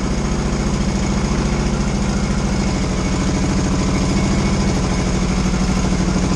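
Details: 1982 Yamaha XS650SJ twin on a lift, choke on, low on fuel, test fire after battery refit (dead battery suspected for earlier no-run): steady, even, slow low thrumming idle, no knocks or misses; running normally.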